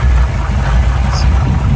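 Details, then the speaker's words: 1971 Chevy pickup with points ignition, at idle: deep, steady, even idle with no misses, knocks or hunting, running smooth; a little exhaust noise and a squealing belt noted elsewhere. "runs nice and smooth got the you know foger jet on it with Point still power steering power brakes that really runs nice and smooth"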